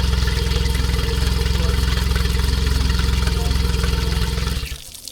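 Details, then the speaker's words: 16ft skiff outboard at idle after yearly service and oil change; even, steady exhaust pulses with clean rhythm, then shut off; running healthy. "Sounds good. Looks good. Seems like we had a successful service."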